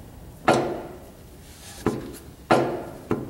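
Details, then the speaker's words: Wood-Mizer sawmill engine, engine off, by the pulley and drive belts: four sharp clunks about a second apart as the crankshaft is pushed in and pulled out by hand, showing what seems like excessive crankshaft thrust end play. "I notice one thing there is a lot of play or it seems like a lot of play to me in the crankshaft the thrust of it hear that I'm pushing it and I can pull it out with my"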